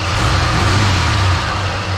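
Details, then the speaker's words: 1968 Chrysler VE Valiant back on the road after 18 years in storage, with a rebuilt carburettor and a second-hand radiator: steady, even idle with a deep rumble and a loud whirring water pump on top; the engine otherwise runs well, with a slight exhaust squeak. "Okay, so just before I take it for a little bit of a drive, as you can hear, the water pump's quite loud, but the engine's running like a"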